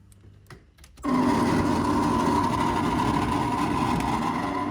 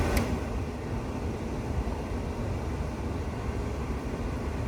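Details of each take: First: 1985 Chevy K5 Blazer heater blower motor running, before replacement with a new OE-quality blower: buzzy whirring hum with a high tone, cutting out briefly and spinning back up; sounds like it's dying. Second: 1985 K5 Blazer heater blower after installing a new blower motor: even low rushing air with a smooth motor hum, no squeal, ticking or wobble; blower runs steady and healthy.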